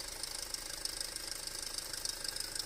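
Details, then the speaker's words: 2008 Audi A4 2.0T, check engine light with codes P119A and P2279 (intake air leak), idling: fast light tapping rattle with hissy top end from failed PCV diaphragm built into valve cover; fix is new PCV valve cover. "It's going to be the diaphragm that's built into this cover. So yeah, when you hear that, that's your valve cover."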